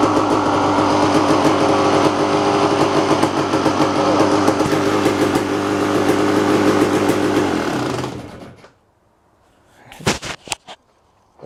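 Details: Kawasaki KX250 two-stroke dirt bike, first start after ten-plus months in storage, on fresh gas mixed 32:1 per old Kawasaki spec: crisp, buzzy note revving up cleanly and evenly, then dropping off at shutdown; runs and revs normally.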